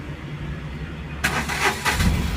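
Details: Tata Nano Twist XT that had starting trouble and a check engine light, after ECM programming: the starter cranks briefly, then the small engine catches cleanly and settles into an even idle; normal start.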